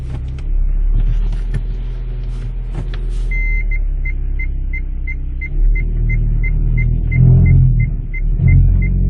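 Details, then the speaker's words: Hyundai Solaris 2015, 1.6 L 123 hp, 6-speed automatic, 65,000 km, in reverse, braked, under throttle: low rumble with chime beeping, rough crackling grind as the powertrain mount rubs the bent skid plate; fixed by bending the plate away. "вот в моём случае при включении задней передачи эта опора упиралась в касалась её и издавала вот такой неприятный звук"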